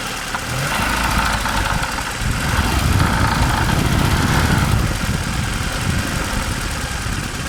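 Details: Audi 80 with 2.0 ABT engine: loud, rough running with uneven knock about three to four per second under the idle; source undetermined.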